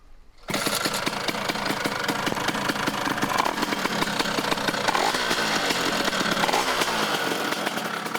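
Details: Vespa-type Stella scooter, two-stroke 177 upgraded to 187, after break-in and after reattaching a broken-off CDI mount to proper ground: crisp rapid crackle starting and settling into even steady run, no misfires or knocking; healthy.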